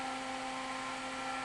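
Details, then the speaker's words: Cooling fan on a cap dump circuit with three MOSFETs on a heat sink that is barely warm: a steady, even electric hum with a clear tone and no rattle. The fan spins smoothly and cycles off rather than running all the time. "and the fan is running there I don't know if that fan is blowing you guys away or not but it'll it'll shut off in a second it don't run all the time"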